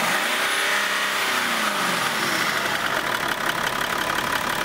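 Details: BMW X5 E53 started after the EGR valve was reinstalled with the intercooler pipe, vacuum tube and EGR clamp refitted. The engine settles into a steady idle with a light hiss over it and no knocking or hunting: normal idle.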